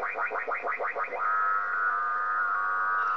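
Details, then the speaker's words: Warbling tone sweeping about twice a second, then a steady whistling carrier, wiping out the whole 10 m band; local to the owner's property only, owner unsure if from power line adapters; RF interference of unknown origin. "as you can see pretty much wipes 10 m out anybody can help identify it i' appreciate an"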